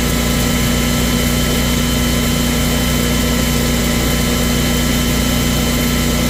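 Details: Kohler 14kW generator, model 14RCA, test run after replacing a dried-out, broken bushing that caused loping: holds one steady, even speed with no surging or hunting; normal steady run after repair.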